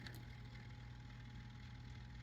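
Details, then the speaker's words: Data East Star Wars pinball playfield motor, driven by manually shorting the relay pins: soft steady hum with a faint even whirr, no grinding or stalling. Motor is good; the relay board or its input signal is still in question. "it's running so I still haven't fully answering my question I know the motor's good"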